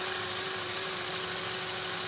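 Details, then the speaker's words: Running engine after power steering fluid was topped up: steady mid-pitched whine still present from the power steering pump, with stiff, noisy steering; pump needs overhaul or replacement. "maingay maingay pa rin talaga Maingay pa rin so kailangan i-overhaul yan"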